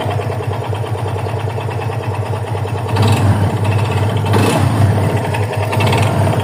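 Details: 2021 Yamaha FZ25 single-cylinder at idle: uneven clatter over the low thrum, about three beats a second; abnormal noise, cause unclear.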